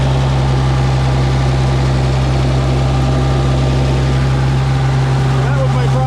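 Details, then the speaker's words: Minneapolis Moline G900 LP tractor after bird nest twigs were cleared from the system and the carburetor was cleaned and reset: a steady, even low idle with a smooth unbroken drone and no misses; running reliably again. "oh my reliable dragger back to being reliable so good [Applause] news"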